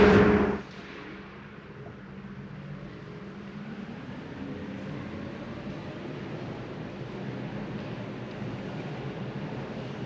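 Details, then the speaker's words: Hyundai Kona Electric, about 30,000 km, slow roll inside the workshop bay: only a soft, steady low hum with no whine or roar from the drive unit, which sounds healthy. "Je roule maintenant et on n'a pas de bruit, mais ça ressort surtout bien à vitesse lente et,"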